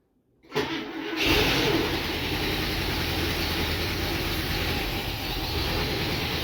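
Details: International Scout V8, first run in about 13 years after new plug wires, no fuel line hooked up: short crank, catches and holds a rough steady idle on gas mixed 40:1 with 2-cycle oil poured into carburetor; smoky exhaust.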